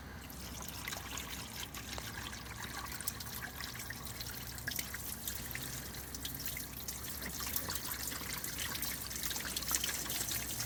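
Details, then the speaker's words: 2014 Fiat Punto 1.2 or 1.4 with no crank, no start from water ingress: on a drain test after debris clearing, a faint irregular trickle and dribble of water that doesn't drain away; the blocked scuttle drain leaks into the cabin. "one it's no good because it's saking into the cabin as you can see that is leaking in so we need to strip this and make sure it's sealed because it's not"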